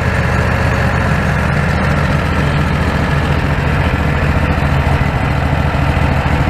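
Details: Predator 670 V-twin after adjusting the stock carburetor with its caps removed: low, even, stable idle with no hunting or surging, where the factory tune would not idle stably.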